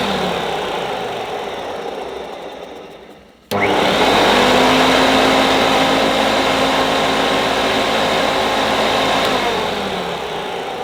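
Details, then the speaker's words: 1977 Hoover Junior Deluxe vacuum cleaner motor spins up sharply to a smooth, steady high hum with no rattle or wobble; so quiet owner first wondered if something was wrong, expected these to be loud; motor sounds healthy, quietest Junior Deluxe/Starlight heard. "Deluxe I think I've ever heard it makes me think there's something wrong with it I always thought these cleaners were quite loud"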